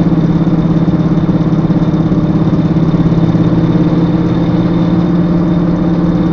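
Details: Volvo S60 R while running: a loud, steady low drone with a throbbing pulse from the rear end; cause unclear.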